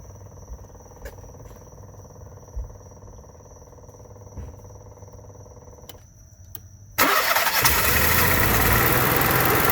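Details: Onan Marquis Gold 5500 generator after carburetor cleaning and adjustment (mixture now about three turns off the seat, previously surging and needing choke) catches and settles into a steady, even drone with no hunting or surging; normal running.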